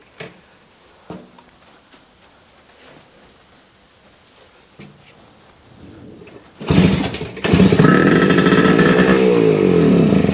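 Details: 1971 Kawasaki F7 two-stroke after reinstalling clutch side cover and carburetor and fixing oil tank leaks, started on choke: catches and buzzes unevenly, revs hunting and stumbling; owner suspects loose carb mount letting in too much air.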